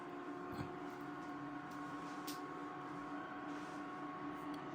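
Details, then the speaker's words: Call of Duty Juggernog mini fridge plugged in with a replacement AC adapter after the faulty original: quiet, steady fan whir at even pitch with no rattle or grinding; cooling fan kicks on normally. "So I already have it plugged on already. So I'm gonna plug it in, and you hear the fan kick on."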